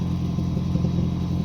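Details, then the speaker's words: 2007 Toyota Prius Mk2 1.5 VVTi hybrid, recently bought used, idling on jack: steady low rumble with uneven puffing chuff from exhaust blowing at a rear joint; to be sealed with exhaust gum paste and reassembled. "is where the blow noise is coming from so i'm just going to seal it up and open it up seal it up with some glue gum exhaust base and then stick it back together"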